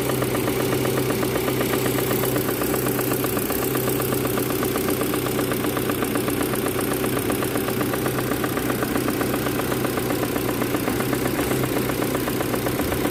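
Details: Proton Campro engine with a faulty AIFM intake manifold flap: a steady idle with a rough, uneven patter of two or three beats a second, linked to power loss and high fuel use; the fix is a manifold replacement or adjuster kit.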